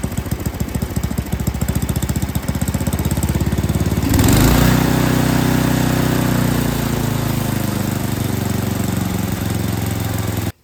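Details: Yard King snowblower small engine that wouldn't start, carburetor found mistuned: stumbles and pulses unevenly, then smooths to a steadier fuller note as the bottom high-speed mixture screw is adjusted by ear (in leans, out richens).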